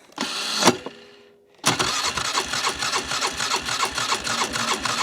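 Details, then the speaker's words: 2005 Polaris Sportsman 400 ATV that won't drive after mudding, choked start in neutral: cranking catches after a pause, then rough harsh grinding and rattling pulses over idle; clutch or belt suspected, shut off to avoid damage. "It sounds like it's either the clutch, the belt. Something's making some horrible noises over there. I don't want to run it anymore because we might do some more damage."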